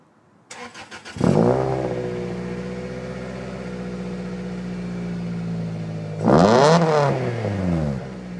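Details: Toyota Celica after its earlier bog/lag and misfire were cured: two clean revs climb and fall smoothly from a steady idle with no stumble or hesitation; the engine pulls evenly.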